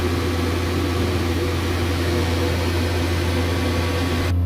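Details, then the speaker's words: Boiler burner running after repressurising the expansion vessel, with the thermostat calling for heat and the pump purging air: a constant low droning hum with a coarse rattly edge. The fan is vibrating like crazy. "as you can probably hear the fan's very nicer it's vibrating like crazy so that's gonna be three parts which we don't have to come back and change"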